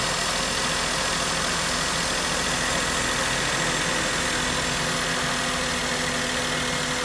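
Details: Maruti Suzuki K-series car engine: even idle with fairly busy, steady mechanical clatter but no skipping or stumbling; running on all cylinders.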